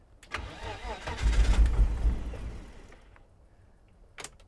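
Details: 1987 BMW 325i (E30), restarted after long storage on new fuel: starter cranks and engine catches for a second with a rough surge, then dies; crank, no start.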